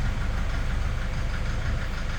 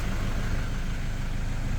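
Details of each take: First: Toyota Vigo 3.0 diesel after rail sensor and SCV replacement: heavy uneven knocking and shaking at idle, about three knocks a second; faulty injectors, cylinder 3 delivering unevenly, scan shows injection below spec. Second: Toyota Vigo 3.0 diesel after replacing the rail pressure sensor and SCV: low, steady idle with even rumble and no knock or miss; injector corrections now normal, no fault codes, idle slightly high and settling down.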